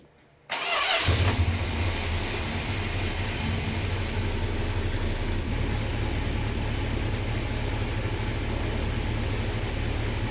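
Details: 1966 Plymouth Sport Fury V8 with original camshaft, first cold start after rebuild and fresh Lucas hot rod oil: brief crank, then a clean catch into a steady, even, deep idle with no knocks or misses; healthy start.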